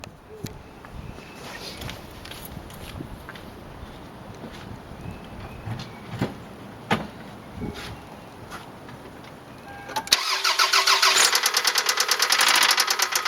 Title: 1999 Toyota Camry Solara 2.2 SE Engine Noise / Knocking (Rod Knock)